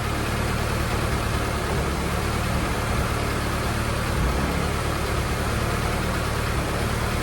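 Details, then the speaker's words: Normal running: first start of a new motor in an F24 with the AC removed, while burping coolant. Steady, even engine note with a smooth hum and no knocks, ticks or misses; no leaks, motor sounds great and very responsive. "oh she's running guys worked out but everything sounds good no leaks motor sounds great super responsive"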